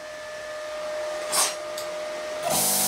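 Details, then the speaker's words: Plasma cutter with a built-in compressor, internal fan on a heat sink. Steady fan hum, then a rush of air as the double-wound piston compressor kicks on without cutting, running smoothly and quite quietly. "yeah look at that double winded piston that's that's that's pretty cool and that's quite quiet too"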